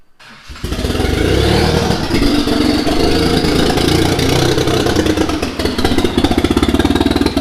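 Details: Mitsubishi 3000GT VR4 twin-turbo 6G72 V6, new engine first start: catches after a second, uneven lumpy beat with sagging speed, struggling to run; owner says timing way out, suspects something unplugged, not firing on all cylinders.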